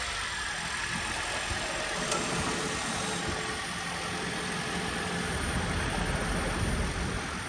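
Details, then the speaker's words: Toyota Prius V hybrid just after cold start, needed gas to crank: quiet, even idle settling with no ticking, knocking or rough misfires; engine sounds healthy. "I actually had to give it gas. Right. They gauge the motor. Yeah. Sounds good."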